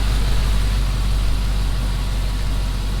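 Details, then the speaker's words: 1954 Chevrolet patina car, bought after sitting under a tree; started first time without pumping gas. Deep, even rumble with steady beat, no knocks, misses or ticks; idles smoothly and healthy. "First time, no pumping the gas. Just absolutely incredible. Just runs amazing."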